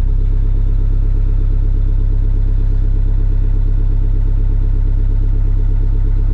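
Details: Small single-cylinder engine on a sawmill with electric fuel pump, running in snow with about a quarter tank: holds a steady, even beat with no surging, misses or dying out; normal healthy running.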